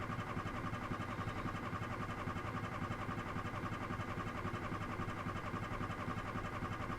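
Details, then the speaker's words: Recently bought used car refusing to start: even starter churn at about four beats a second going on and on without the engine ever catching; cranks but won't fire; battery drain a concern. "I just bought you. Can't break down on me like this."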